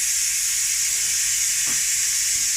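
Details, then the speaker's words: Ninja pressure cooker after cooking beef brisket, release valve turned fully right, letting all pressure off: a steady, loud, high-pitched steam hiss, no sputter or whistle. Normal pressure release. "So I've turned it right the way to the right now, and it's just letting all the pressure off, as you can hear."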